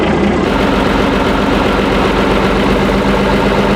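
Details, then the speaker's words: Chieftain tank's Leyland L60 multifuel opposed-piston two-stroke, revived after years of sitting, on a second run to check oil pressure: a steady, even low drone with no knocks or misses. It runs healthy with plenty of oil pressure. "It sounds great, doesn't it? Yeah, okay. We've got tons of oil pressure, so happy days."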